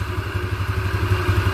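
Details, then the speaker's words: Yamaha Xeon carbureted scooter, previously would not start and stalled, now restarted after repair: even, low thumping idle with regular pulse and no clatter; engine runs normally again. "semuanya sudah kembali starter mesin eh dan motornya sudah hidup kembali"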